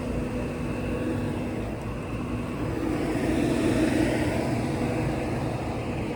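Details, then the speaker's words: Rooftop air-conditioning condensing unit, running. A rough, droning sound with an uneven throb about four times a second; cause unclear: excessive vibration. "So this one's working. It's just, it sounds bad. Like it's vibrating a"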